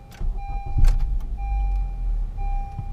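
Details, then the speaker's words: 2015 Honda Accord 2.4L K24 GDI, started after CRC GDI intake valve cleaner soak and 1-hour heat soak: uneven stumbling low idle with irregular thumps; running rough, check engine light flashing, no codes stored. "Now, I don't know if you guys noticed during the video, but the engine was running really rough, as it will. And the check engine light was flashing."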